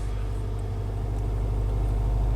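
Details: Subaru engine at idle: low, steady rumble with an even beat and no knocks, ticks or whine; the motor idles smoothly and sounds healthy.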